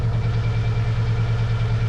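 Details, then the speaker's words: Foxbody Mustang convertible at idle after spark plug change, still with a major misfire; owner guesses head gasket failure and suspects fuel delivery, having replaced the fuel pressure regulator. Low idle hum with slight uneven, lumpy beat. "Again, I just want to reiterate, there is still a major misfire. My guess is it probably is a head gasket failure, which we already knew."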